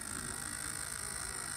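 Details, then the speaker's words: New Wave Toys Zoltar ticket motor on bench supply, voltage raised above about 1 V: small gear motor whirs with uneven chattering rasp under load as torque rises, one gear lifting out of mesh with nothing holding it down. "and of course I'm toring that up so it's going it wants to raise this one gear to have no way to hold that down so we'll just let's see it won't stay down there running at that speed"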